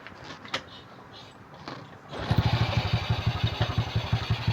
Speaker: Ayan kita niyo umandar na. So umandar na siya guys.